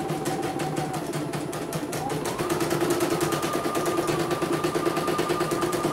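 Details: CNY embroidery machine (M21 label) sent in fully jammed with heavy rotation; final test after repair, cover closed: even stitching about three beats per second, no knocks, grinding or hesitation, smooth, ready to ship.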